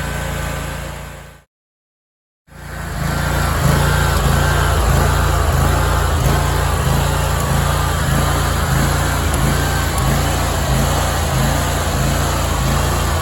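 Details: Big Dog Stout lawnmower engine after new carburetor welch plugs fixed long-standing surging at low idle without load: after a short gap settles into an even, steady beat with no rising or falling speed; normal steady idle.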